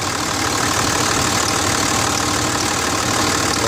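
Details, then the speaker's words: 2006 Dodge Ram 2500 Cummins turbo diesel, about 155,000 miles, idling with a light tick of roughly three a second over the clatter; owner suspects valve lash or injectors; some oil blow-by; Hyperlube and injector cleaner quieted it. "definitely a little ticking noise here. Got about 155,000 miles on it."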